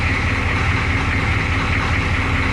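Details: International S1654 diesel truck after an oil cooler rebuild, new starter and new radiator, idling with the radiator cap loose so the thermostat can open and bleed air: low, even rumble, no knocks or misses; normal idle.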